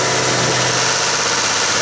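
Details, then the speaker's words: 2017 Ford F-150 5.0L Coyote V8 held at 2000 rpm, runner control toggled with a bi-directional scan tool: light quick clacking over steady engine when off, quiet when on; intake manifold runners flapping around, not a failed engine. "so what i want to tell you is basically the runners in that manifold are flapping around okay they're flopping around"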